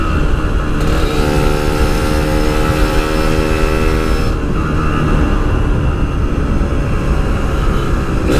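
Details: Yamaha RX King two-stroke, riding after repair of stuttering at high rpm (fine when revved standing); loose wire at the stator coil re-soldered and everything tidied: clean, even wail holding steady at high revs, no stutter or break-up; normal high-rpm running.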